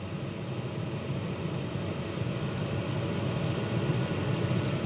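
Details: Chinese diesel heater in greenhouse, working after two replacement fuel pumps: steady even roar of blower and burner, no sputter, surging or misfire, no exhaust smoke, hot air coming out; normal running.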